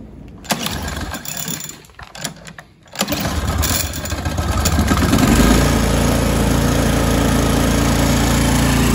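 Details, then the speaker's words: Toro Timemaster 30-inch mower, first start after sitting about five to six months, before tune-up: some rattling at start, then a steady even beat holding speed with no surging and no smoke despite the stale carburetor. "that sounds pretty good actually it doesn't sound like it's surging or anything which would be my concern with uh carb that's been sitting for a while"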